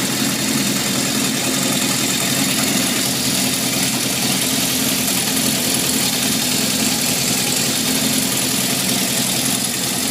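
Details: 1978 Honda CB750F four-cylinder idling after metal shavings in the oil pan, low oil pressure at warm idle and a stall: a constant hard metallic clatter over the exhaust. Owner suspects crankshaft bearings.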